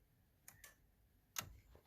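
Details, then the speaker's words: 2007 Hyundai Veracruz with a new battery that had lost headlights and blinkers (BCM/K-Line communication issue): faint light clicks about once a second in a quiet cabin as the turn signal flasher cycles normally again after the BCM was reconnected. "And we got blinkers."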